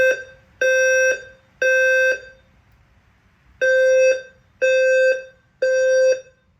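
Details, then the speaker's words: Home fire alarm system inspection, fire drill: evacuation tone in groups of three half-second beeps with pauses, and a voice message to leave the building: fire alarm evacuation tone, normal operation. "So now I will do the fire drill. Evac. Attention, the fire alarm has been activated in the building. Please proceed to the nearest exit and leave the building."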